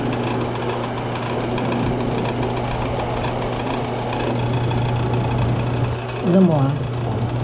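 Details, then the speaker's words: Washroom exhaust fan, far noisier than it should be: a steady motor hum carrying a buzzy, uneven rattle, from the fan's power cord rubbing against the spinning blades. "Tingnan niyo yan medyo maingay siya guys dapat hindi ganyan Kaingay yung"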